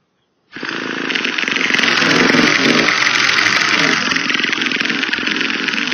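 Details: Used Traxxas T-Maxx 2.5 nitro RC car: shrill, steady buzzing starter spin for several seconds with no firing or catching, slight smoke from the starter motor; cranks but won't start.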